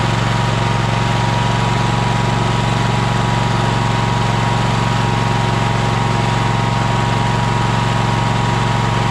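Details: Troy-Bilt Horse single-cylinder engine after fuel pump replacement: steady, even low putter at constant speed with no misses or knocks; earlier smoke was from tipping it on its side and has cleared; normal running.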